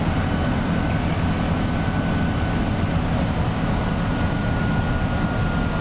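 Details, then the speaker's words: Front-engined Iveco 170S28 Italbus bus cruising on a straight at about 2000 rpm with a tailwind, heard from the cabin: a thin turbo whistle over road rumble from a turbo fault present since the factory, making the engine sound strained. "Estamos en plena recta y aceleración, viento a favor, así que el colectivo va en 2000 vueltas, normal, pero pareciera que va mucho más exigido por el ruido del turbo."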